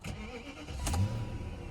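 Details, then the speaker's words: High-mileage BMW (184,000 miles) on its first cold start after purchase: a brief crank, then it catches at once and settles into a steady, even idle with no engine lights on; normal cold start. "starts right up let's check the engine lights oh buddy that's uh she's clear that's not bad"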